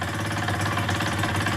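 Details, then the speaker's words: KSR Moto with AM6 50cc two-stroke, freshly rebuilt, seconds after first start: crisp, even burble at a fast choked idle with no rattle or misfire; sounds healthy. "a zapalił bardzo ładnie naprawdę to pomoc paliwo parę obrotów na ssaniu zaczyna chodzi"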